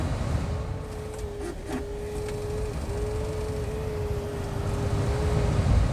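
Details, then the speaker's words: 2006 Lexus SC430 during door latch cable replacement: thin steady motor whine drags on for seconds as the window creeps up slowly; power window motor starved by a dead battery. "and it's going so slow cuz the battery is um dead so I'm going to shut the door lock it up and take the battery out and charge it so"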